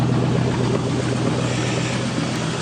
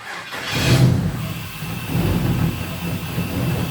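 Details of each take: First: 1967 Chevrolet Caprice with 5.3 LS V8 (over 200,000 miles) on new Holley Terminator X engine management, heard from the rear: deep, steady, even burble without misses or rattles; normal exhaust note at idle. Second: 5.3 LS V8 in a 1967 Chevrolet Caprice, first start on a new Holley Terminator X: catches and settles into a slightly uneven, lumpy idle with a faint hiss; suspected vacuum leak around the throttle body.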